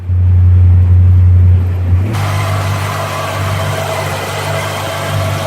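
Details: Worn 1957 Chevy convertible with over 250,000 miles, idling after exhaust manifold bolts were retightened to stop a leak; deep, even idle rumble with a soft regular beat, earlier exhaust clacking gone, normal idle.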